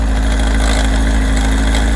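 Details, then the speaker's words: Kawasaki ZR7S four-cylinder, stock, started on choke after sitting unused; loud fast metallic clatter at idle from mid-cylinder, growing as revs drop and fading as revs rise; owner suspects cam chain, not plugs, since all four cylinders are hot. "なんせね、この壊れてしまいそうなこのイオン、ほら、回転が落ちれば落ちるほどでかくなるんですよ。"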